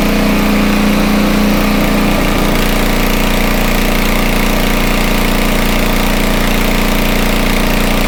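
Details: Homelite 2500 W generator, no load, meter connected: note shifts briefly then holds a steady even drone with no hunting; normal no-load running, speed could be a little higher but decent.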